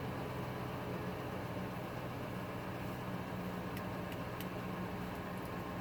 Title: 2000 ford 5.4 cold rough idle